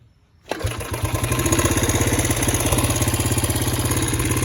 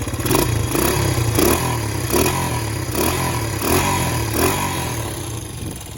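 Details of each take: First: Honda CB125S after rebuild, about 10-11 minutes run time, points not yet tuned: fires on one kick and settles into a quick, even single-cylinder idle with steady pulses; runs really good, slight popping. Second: Honda CB125S after engine rebuild, about 10–11 minutes run time, good compression, one-kick start: unevenly idling single popping and spitting in irregular bursts; owner thinks it can be tuned out by adjusting the points.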